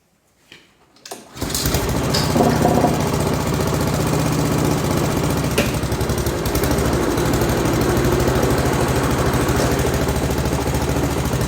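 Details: Pubert wheeled brush cutter with Honda GCV160 engine, after repairing the broken exhaust-valve rocker arm, adjusting tappets and changing oil: starts and settles into a quick, steady, even single-cylinder beat, about 3.5 pulses a second; now runs normally.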